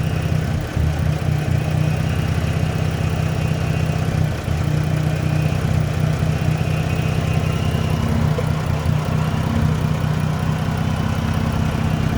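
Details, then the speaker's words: Dodge Journey alternator test, negative cable unhooked, battery holding 13 V: low idle drone wavering and dipping unevenly, struggling to stay running; owner suspects alternator bad but not completely failed, not confirmed. "so it sounds like the alternator is bad but not completely completely bad but bad"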